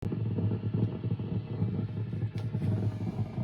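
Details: Mesa Boogie Dual Rectifier Multi-Watt amp idling on gain channels, any mode, not on clean: hiss with low hum and random crackles like frying bacon, intermittent; owner suspects failing resistor, tubes unchanged, cause unconfirmed.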